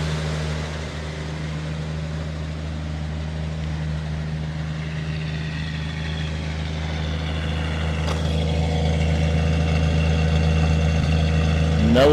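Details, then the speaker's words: Restored car with 65,000 original miles, idling smoothly: steady even low rumble pulsing about four times a second, rising slightly near the end; normal healthy idle after bringing it back to life. "oh my lands listen to that [Music] [Music] purr oh my land oh baby baby"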